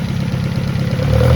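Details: 1971 Toyota Celica RA20, 18RG four-cylinder on twin Weber 40 DCOE sidedraft carbs, electronic ignition, fresh plugs, wires, cap and rotor: runs smooth and even with a deep steady exhaust beat and a light throttle blip; sounds healthy.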